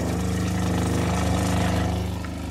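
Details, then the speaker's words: RV water pump, replaced last summer, running after the fresh water tank has shown empty for about two days; a low, steady motor drone with an uneven wobble and gurgling as it sucks air: pump running dry. "let me show you what it looks like it sounds like when I'm out of water so I leave the can you hear it you're gurgling it means a lot of water"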